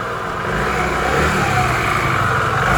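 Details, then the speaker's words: Restored Piaggio Vespa 50 LX two-stroke scooter, cold start after carburetor adjustment and vacuum fuel-line refit: even buzz that picks up cleanly as the throttle opens, no misses or stumbles; normal start and revving. "Хорошо завелся, без газа, без ничего. Сейчас прогреется и буду дальше собирать, потому что проводку тут разбирал и так далее."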